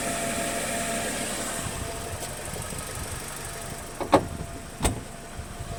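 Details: BMW 116i E87 petrol engine warm at idle: uneven irregular ticking over the hum plus a couple of sharp knocks; noise when warm, source not pinned down.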